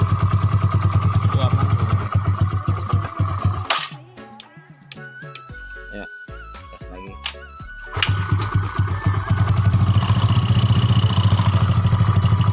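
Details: Yamaha Mio bored up to 150cc with standard parts, freshly assembled, first start test (previously rough, worse when hot): quick, even idle with a loud, throaty exhaust that dips briefly then recovers; normal smooth idle.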